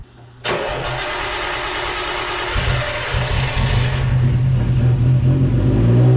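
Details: Nissan A31 Cefiro started after diff work and reassembly of a fuel-leaking gauge fitting, very cold; cranks and catches quickly, settling to a steady, even cold idle with a low drone, no ticking or puffing; oil pressure good.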